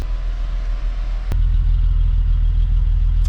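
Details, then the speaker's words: 2001 US-spec VW Jetta wagon, 12-valve VR6, start-up at a dealership, low on fuel: low, even idle rumble with a steady beat, no ticks or stumbles; normal idle. "Sounds smooth though. Look at that. 12-valve VR6."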